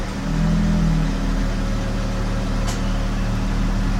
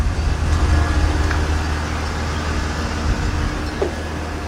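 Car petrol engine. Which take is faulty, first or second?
first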